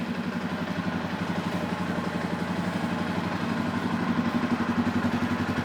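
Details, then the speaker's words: 2005 Suzuki King Quad 700 single-cylinder, warm, blue exhaust smoke. Regular clattering knock about four times a second that grows harsher as it revs, seemingly worse on the clutch side. Top end or bottom end unknown; engine knock. "seems to be a worse on the clutch side that you can hear it but it means you know as you rev it it gets worse also"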